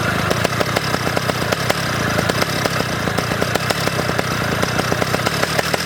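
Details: Pocket bike two-stroke engine revved high after carburetor tuning: buzzy note breaks up with irregular pops and misses at the top end; still sputtering at high revs, carburetor only partly tuned.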